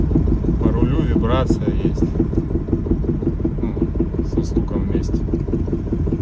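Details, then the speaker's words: Honda Fit G3 coasting off throttle with brake released: loose uneven knock about three a second over road noise; stops when braking, returns on brake release; source unknown. Knock when coasting off throttle. "При сбросе газа появляется стук. Вот газ сбрасываю. Вот сбрасываю газ. При торможении пропадает, при отпуске тормоза опять начинается."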